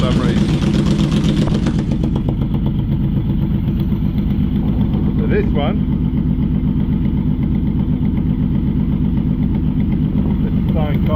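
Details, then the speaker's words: Yamaha Vmax V4 motorcycle idling on three cylinders, a lumpy uneven beat with one pulse dropping out, which can sound like a grumpy V-twin; a fuel delivery problem, one cylinder starved. "anyway as you can hear uh it's a fuel delivery problem so what I'm going to do in a minute I'm going to restart it"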